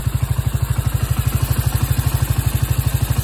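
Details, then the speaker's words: Freshly rebuilt 125 Orcal Astor engine: a heavy thumping idle of about three beats a second with a low lumpy pulse, smoking everywhere, which the owner suspects is oil deposits on the engine. It holds idle but sounds rough and uneven. "C'est pas parfait ça. Alors j'ai de la fumée de partout. Je pense que c'est tous les dépôts d'huile qui étaient sur le moteur. Mais elle tient le ralenti."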